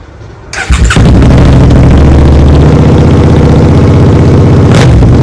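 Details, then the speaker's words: Rebuilt Suzuki SV650 V-twin, exhaust without the dB killer, before swapping to a smaller can: fires up and settles into a loud, deep, lumpy idle with a hard bark; owner says it's too loud and neighbours would complain; otherwise healthy. "இது மிகவும் சத்தமாக இருக்கிறது. என் பக்கத்து வீட்டுக்காரர்கள் எழுந்து புகார் செய்வார்கள் என்று நினைக்கிறேன்."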